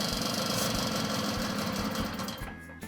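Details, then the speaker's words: Puch moped (1979 test bike), two-stroke, carburettor deliberately loosened and sprayed to test for air leak; rapid chatter stumbles and dies within seconds as false air at carb joint leans it out. "But now you can see if you inject straight away, like I did before that it actually dies right away."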